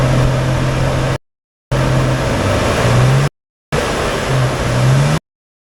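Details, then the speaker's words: 2007 Nissan Xterra, dead cold, hood open: loud steady roaring drone at idle like an 18-wheeler; owner suspects broken fan clutch letting the fan spin at engine rpm. "So every time I turn the car on and drive it, the car sounds like an 18-wheeler semi-truck, because the fan is basically spinning at the same RPM as the car"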